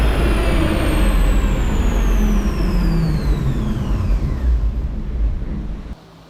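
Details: Truck on the dyno under load: loud heavy roar with a high whine falling in pitch as the driveline winds down, then sudden quiet as the transmission fails, breaking apart with pieces coming out, driveshaft out.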